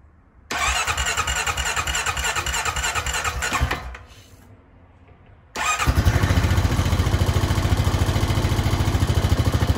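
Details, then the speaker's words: Honda Foreman 520 ATV after a fuel pump install and a fresh tank of gas: starter cranks about three seconds, pauses, then the engine catches cleanly and settles into a steady, even idle; starts and runs properly. "She runs!"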